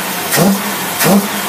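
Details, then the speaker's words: Dual 400 CFM Carter AFB carbs in a 2x4 setup on a running test engine: two quick blips off idle rise cleanly with a deeper surge as the back barrels kick in, no bogging, normal. "your big back Barrel kicking in there 400 CFM rare"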